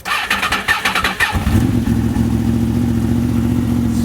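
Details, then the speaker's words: 2005 Honda VFR800fi, 33,000 miles, cold start after sitting 3 days at 55°F: starter cranks briefly, engine catches within about a second and settles into a smooth, even, steady idle; healthy start. "This is a cold start. Hasn't been run in 3 days. It's 55 degrees"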